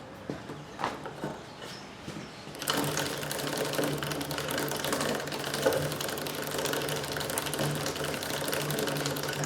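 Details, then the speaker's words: Suzuki V-Strom with a BikeMaster BMOR 525 chain, wheel turned by hand: steady mechanical rattle with an irregular catch about once a second as a stiff link's rollers fail to seat cleanly on the sprocket. "But these links, these rollers in each of the links, are not in this area sliding into the cogs on this sprocket. cleanly and efficiently. Like here it's smooth, and then you can hear it when that link comes around."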